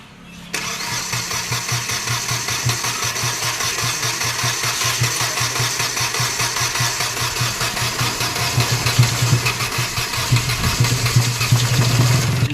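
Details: Hyundai Xcent after timing chain fitting, head gasket and head lapping work, with injectors serviced (numbers one and three showed excess return): it cranks briefly, catches at once and idles steadily. Running fine.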